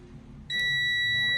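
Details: Multimeter on automatic continuity while testing a starter relay, tracing from the battery terminal through the fuse: soft background noise, then a steady high beep about a second long showing continuity, fuse intact.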